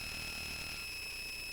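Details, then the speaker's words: Bare Conductive Touch Board, unmuted audio output: steady high-pitched whine of several fixed tones over hiss, unchanging throughout, called very annoying; electrical noise on the board's audio output, cause unknown. "all right and i'm going to mute that because that is a very annoying sound and i'm not quite su"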